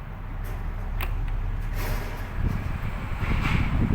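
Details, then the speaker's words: Electric fan that was stiff and squealing, after oiling the motor shaft bearings front and back: on speed 3 it runs with a steady airy rumble, no squeal or scraping, normal. "แรงขึ้นนะครับเป็นปกตินะครับ"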